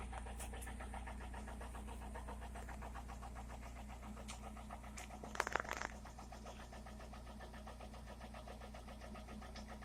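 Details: Toyota Corolla E110 with 4E-FE engine at idle: quiet idle with light, evenly spaced tapping riding on the engine note; engine knock from inside, cause not determined.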